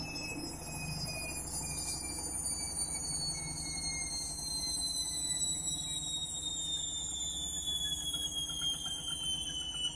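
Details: Candy Mini Load Rapid 30 washing machine on final spin, thought to be about 1000–1200 rpm: steady high whirring with rising and falling tones; noisy spin, cause unclear.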